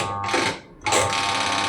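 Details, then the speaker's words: Aqua QW950XT twin-tub washing machine with a leak, spin dryer tested: steady electrical hum with a brief dip but no spin-up whir; dryer motor only hums and does not rotate. "Nah, pengeringnya bunyi ya, Teman-teman. Jamunya bunyi dan tidak berputar."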